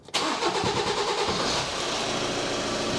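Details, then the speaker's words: 2011 Kia Sportage 2.0 CRDi diesel after fuel filter change: brief crank, catches quickly into even, steady idle with no stumbling, no leaks; normal start. "actually that wasn't too bad just going to make sure there's no leaks all looks nice and dry turn that off now so it looks good"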